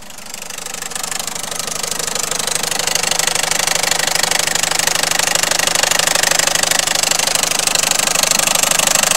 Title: 1.6 HDI strange noise